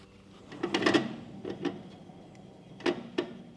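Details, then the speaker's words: Used gooseneck equipment trailer wheel spun by hand during a bearing check: irregular dry scrapes and rubs in short bursts rather than a bearing growl; a rock in the brake drum is suspected, not confirmed. "that doesn't sound like a uh that doesn't sound like a bearing to me what that sounds to me is a rock got into the brake drum or something like that"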